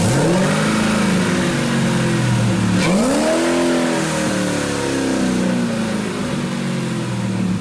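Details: 1967 Camaro with LT4 swap, brand-new exhaust, driveshaft disconnected: V8 revs up and hangs, falling slowly with slightly uneven beat, won't drop to normal idle; some smoke, possible misfire, cause unknown.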